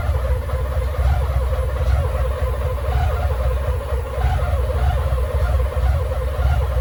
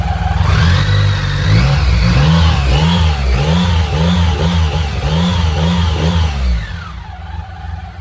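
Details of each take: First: BMW K75 motorcycle with starting problems and rough idle, run with the air flow meter unplugged: deep, slightly uneven idle rumble; cause suspected, not confirmed. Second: BMW K75 motorcycle after restoration and fixing intake manifold vacuum leaks behind starts-then-dies and rough idle: quick, crisp throttle blips rising and falling evenly, then steady smooth idle; running healthy.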